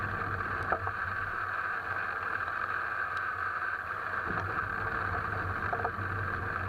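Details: Alfa Romeo 159 while driving: a few sharp, irregular knocks over steady road rumble, a suspension knock.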